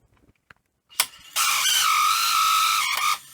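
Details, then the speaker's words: 1985 Philips VR6462 VHS deck: harsh loud grinding with thin high squeal for about two seconds as mechanism slowly engages; stiff mechanism from hardened old grease and failed idler. "Anyway, oh, that has actually engaged. It's just very slow. It's sort of getting there."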